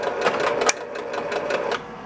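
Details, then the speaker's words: 1966 Williams Full House electromechanical pinball after fixing the kickout switch, whose bent separator had shorted the leaves and kept the relay firing: a few relay clacks at power-up, then quiet with no repeated firing, normal. "all right it's not kicking what should normally happen is if the ball is here switch closes relay fires"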